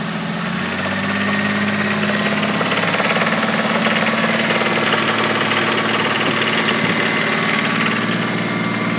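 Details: 1986.5 Toyota MK3 Turbo Supra with a 1989 Supra engine at idle: a fairly steady knock, about four beats a second, under a droning engine note; rod knock suspected in cylinders 1 and 5.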